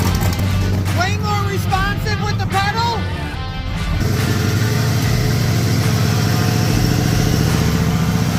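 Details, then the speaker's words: Big-cam turbo 6.0 LS V8 (previously would only rev to about 1500): after a short pause it holds a steady, even rumble and answers the throttle cleanly; running properly. "All right. So, we got this running a little bit better. Well, it ain't we. Dustin's got it running better."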